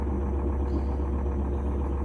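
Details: GE top-load washer running high-speed spin after lid switch/lid lock replacement fixed clicking and failure to lock; low steady motor hum with even tone, no clicking or scraping, operating normally.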